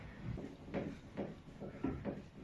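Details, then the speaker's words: Bed under 160-jin (80 kg) person: about five short creaks in under three seconds as weight shifts; the bed leg splays out and back, rubbing on the floor through its felt pad; fixed with thin nylon foot pads. "就在这上面吱摩擦响嘛。因为你人重上去的时候，它也往外张；你起来时它也往回收。"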